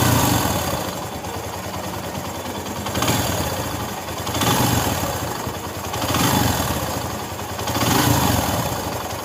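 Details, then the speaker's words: Single-cylinder bike engine after an engine rebuild with a replacement camshaft, idling: steady beat with slow, even swells and no knocking. Engine noise solved; runs normally, expected to settle further after about 500 km of break-in. "तो देखिए भाई लोग sound में difference तो आप लोगों को पता चल ही गया होगा और नया इंजन का कम होने के बाद साउंड थोड़ा सा इधर-उधर रहता है"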